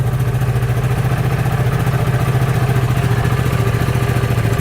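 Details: 2013 CF Moto Z Force 6 after a no-start traced to the fuel pump, not the starter solenoid: the engine starts and settles into an even, quick, steady idle beat with no misses or rattles. Normal idle.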